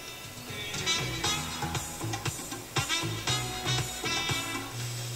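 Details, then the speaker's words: Electrohome Kalmar console stereo receiver after FM IF and discriminator alignment, on outside antenna: clear, full music with steady bass and crisp highs, no hiss, crackle or fading; clean FM reception. "Sounds really good."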